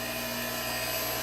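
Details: Unison Model 2100 CNC grinding system, wheel dress across full width: steady high hiss with constant ringing tone, no chatter or rising scream; dress running smoothly.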